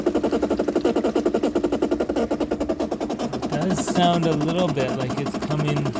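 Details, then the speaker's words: 2008 Bosch dishwasher, about 12 years old, that overflowed and leaked, during fill: rapid even buzzing chatter with low hum, inlet water valve felt shaking; inlet valve chatter, seemingly fixed by replacing the valve. "what in the world is that vibrating i can definitely feel that in the water valve is shaking totally shaking"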